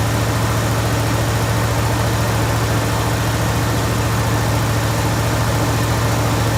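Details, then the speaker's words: Jeep Grand Wagoneer V8 idling just after fitting a new 94-amp alternator, with a dirty air filter still in. Deep, even rumble with a steady low beat and no knocks or misses; idling healthy. "This thing sounds like a freaking boat. Listen to that. It's just badass."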